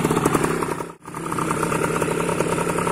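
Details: Yamaha two-stroke motorcycle (SS spec, 4BS) revved for sound: crisp ringing buzz that dips briefly then picks back up cleanly, no misfire or rattle; healthy.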